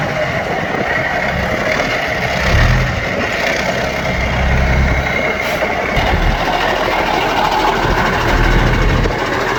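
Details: Yard-find Seddon Atkinson 311 classic truck, Cummins diesel, first fire-up before full rebuild: settles into an even, steady idle with low clatter, no knocks or misses; sounds sweet, holds all its fluid, normal diesel idle.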